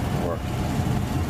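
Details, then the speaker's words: Home central heat/AC blower motor that hummed and buzzed, after oiling and lubricating: steady low hum spinning up and holding speed, no stalled buzz; normal blower run. "turning the switch on in hairy palms it's running okay here at"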